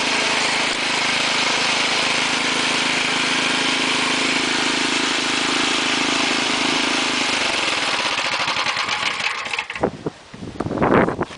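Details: Ariens 6HP two-stage snowblower, trash-picked small single-cylinder engine: smooth, even running with no misses or knocks, then winding down at shutoff; healthy engine.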